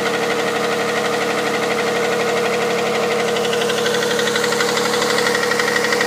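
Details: Hyundai Santa Fe CM with 2.7 V6 G6EA engine, cold start at idle: a fast, even metallic tapping, about three per second, over the engine. Cold-start knock of uncertain cause.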